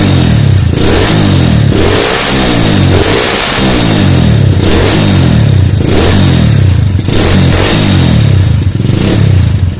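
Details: Honda Tiger/CB single with AC ignition, after rewiring stator-CDI-coil ignition harness: loud crisp revs up and down, clean pickup without misses or clatter; runs properly.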